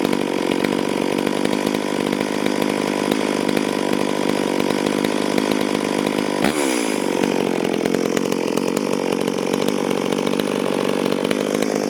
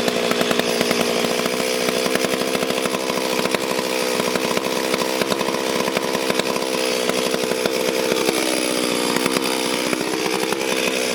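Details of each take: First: Stihl MS440 chainsaw, owner reported it down on power, test run before port work, cutting wild oak on the ground a few years: high steady two-stroke scream dipping only slightly under load; self-feeding, pulling good chips, normal cutting under load. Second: Stihl MS440 chainsaw, clean but reportedly down on power, first start and test run before port work; high buzzy two-stroke snarl held at revs with rough rattling edge and brief dip; noisy clutch bearing.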